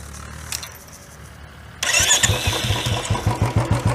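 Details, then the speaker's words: Royal Enfield BS6 single-cylinder after carburettor idle setting, target about 1000 rpm: short crank, instant catch, then an even thump settling into a steady idle. Starts easily without any other updates and idles cleanly. "देखिए आराम से जो है यह bike start हो रही है without any updates"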